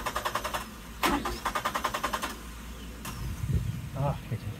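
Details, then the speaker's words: 1996 Suzuki Every van after a fuel pump replacement gives repeated even cranking bursts and a brief catch that dies, then slower cranking as the battery weakens; it fires but won't keep running, and the tank turned out to have no gas. "all right so still no good let's uh get this battery on the charger"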